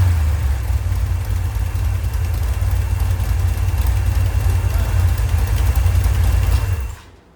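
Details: Rebuilt 1990 Mopar 318 V8 from a D150 truck, honed, new Rock Auto parts, Comp custom-grind cam, Air-Gap intake, warm: deep steady rumble with an even beat and no knocks or ticks, then clean shutoff; normal running.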